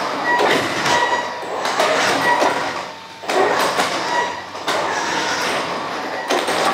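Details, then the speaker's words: Traxxas X-Maxx 8S with Hobbywing Max6 G2 ESC on stock firmware and a sensorless motor: uneven spurts every second or two, whining, cutting out and catching again; brushless motor cogging on throttle, fixed by firmware update. "you can clearly hear the motor start ring and it keeps getting bad in between so it's not consistent but the cogging is definitely present with the stock firware on this Max 6 G2"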